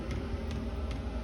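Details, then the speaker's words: 2kW Chinese diesel heater fitted in a VW T4 camper, running normally with clear exhaust and warm air: steady low fan roar with the fuel pump ticking about every 0.4 seconds, the pump now quieter. "but it does sound like it's working the exhaust running clear now the pump's A lot quieter and we got lovely warm air"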